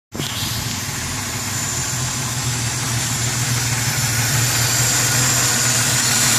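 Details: 4.0 engine with carburetor at idle: steady idle with a strong airy hiss over the low hum, rising slightly; owner suspects a vacuum leak around the carb.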